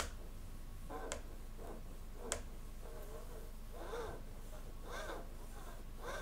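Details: Samyang 85mm T1.5 cine prime lens: soft rasping swishes and sharp ticks as the focus ring turns, a gritty, very noisy focus ring; lens also has an aperture issue.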